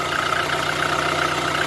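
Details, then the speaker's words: VAZ 2112 1.6 petrol engine, previously misfiring on cylinder 4, after cylinder head repair: smooth, even idle with no misfire, stumble or knocking; normal idle. "Короче, завів машину после капримента головочки. Все чётенько, работає, ровненько."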